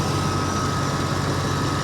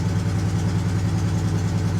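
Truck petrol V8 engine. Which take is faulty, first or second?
second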